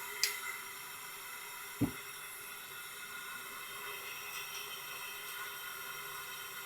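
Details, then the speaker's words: Tecumseh generator engine leak-down test at 80 psi: steady high airy hiss barely changing, two sharp clicks early; little from the oil port but lots of air out through intake and exhaust, valves not sealing. "I don't really feel anything coming out of the oil port, but we definitely There's a lot of air flow coming out through the intake and exhaust."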